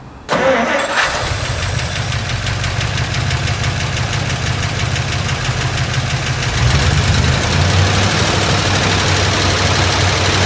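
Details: 1959 Dodge D100 Sweptside pickup with its original, unrestored motor. The starter cranks briefly, then the engine catches and settles into a steady, even idle with a slight rise later; it runs fine.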